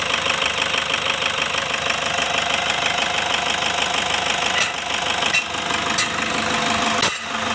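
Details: Toyota Fortuner diesel with weak pull and black smoke, dirty exhaust, before throttle body and injector cleaning: steady even idle with light consistent clatter, no irregular knocks; engine sound judged very smooth.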